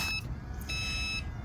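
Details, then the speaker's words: Two steady high beeps over a low idling engine rumble on a Jayco 29XK RV at startup; leveling system warning that a jack is still down, cleared by pushing auto retract. "and if you ever hear that beeping when you start the truck um then you want to come back here and push auto retract because it's meaning something's down"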